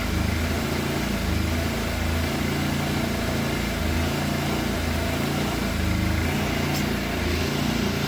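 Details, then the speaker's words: Fire-damaged Yamaha FZ750 four-cylinder, 41,000 miles, on jump pack after adjusting throttle cables and idle screw: starts first time, firing on all four cylinders but beat wanders and stumbles; rough running, cause unclear. "it is firing on all 4 cylinders because it's running, but it does not sound happy."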